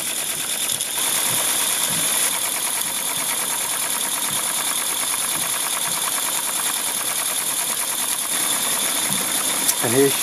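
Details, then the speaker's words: Mamod Quarry live steam locomotive (SM32, 16mm gauge), jacked up on blocks, running in steam super slow: soft, quick, even chuffing about three beats a second over steam hiss; runs smooth and steady, normal. "running super slow and as you can see super smooth"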